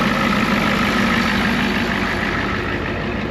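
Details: Ford F350 crew-cab bullnose dually turbo pickup with DeWeze bed, just fired up: steady even idle, smooth low rumble, faint turbo hiss, no knocks or misses, little blow-by seen; normal cold start idle.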